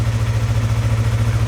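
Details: Yamaha R3 (stolen then recovered) idling on first start after engine case cover replacement, old oil still in, excess radiator fluid smoking off: quick, regular low thrumming pulses, steady idle, no clatter or stumble; normal healthy idle.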